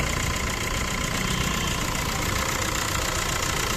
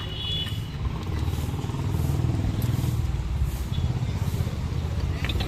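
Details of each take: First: Maruti Suzuki Swift Dzire engine at idle: steady high squeak and fast light chatter from a water pump with bearing play; squeal appears when pulling away in first and second gear. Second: Swift Dzire after replacing the water pump (play in old pump caused chirping) with original MGP part: even, steady low idle rumble, no noise left, traffic and horns outside; normal idle.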